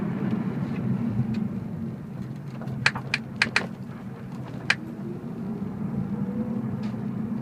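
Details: BMW E46 while driving: over steady road noise, a handful of sharp, irregular clicks come from the rear; cause not yet identified.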